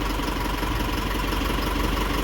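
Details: 2012 Isuzu with 4JJ1 diesel, after cleaning rust from crankshaft position sensor bore and reseating sensor (fixing long crank and intermittent rough running): steady, even idle with smooth low rumble, no misses; normal idle.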